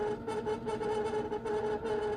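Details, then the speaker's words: 1984 Kaypro 4 portable computer, unused for nearly 30 years, floppy drive reading a disk; uneven, pulsing mechanical buzz and scraping as the drive struggles and grinds; owner suspects the drives need taking apart and lubricating. "Yeah, that's a floppy drive that is struggling mightily. But that's okay. Well, I'm going to let it just grind away for a bit, but I'm thinking this isn't going to work too well until I get the drives apart and lubricate them."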